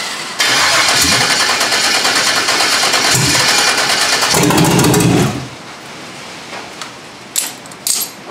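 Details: Foxbody Mustang LS V8 swap, standalone harness, first start, rain on metal roof: cranks and fires, runs loud and uneven with ragged pulses for a few seconds, then drops off; untuned first start, transmission leaking fluid with no yoke.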